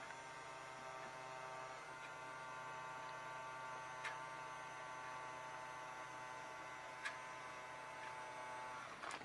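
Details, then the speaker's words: Toy penguin water jet boat, its once-rusted motor freed, powered by a wire held directly to the battery terminal to test a suspect wire. A faint, steady high whir runs without cutting out. The motor works, with some timer effect in the circuit. "can you hear it it's working so that's some sort of timer effect so we have to wait for it to stop again"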